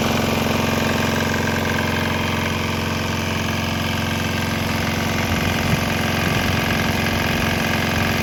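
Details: Swan X 165F Chinese single-cylinder diesel restarted on 100% used canola oil with about 10% diesel residue, walking across the lot: steady even thump at constant speed, no misses or knocks; running smoothly.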